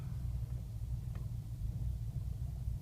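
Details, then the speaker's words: 2005 BMW 645Ci E63 N62 V8, first cold start of the day (about mid-70s °F), A/C on: deep, uneven, lopey idle with pronounced shaking, engine malfunction warning, nearly stalling; rough idle, cause unknown, said to settle once warm. "getting a very pronounced Shake in the vehicle camera's shaking can barely see the tack"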